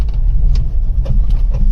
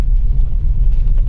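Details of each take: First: Maruti Wagon R BS6 driven over rough road: uneven light knocks and clunks over heavy road rumble from the front left wheel; worn lower control arm bush. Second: Maruti Wagon R BS6 test drive after replacing the cut front left arm bush: steady low road rumble with no knocks or clunks; the left-side noise previously heard on rough roads is gone.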